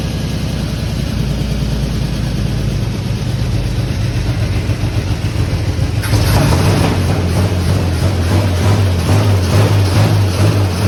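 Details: Fire-damaged 1951 Chevy six, carburetor stopped leaking after it was tapped, radiator not yet fitted: steady, even beat, no miss or knock, picking up smoothly partway; normal running.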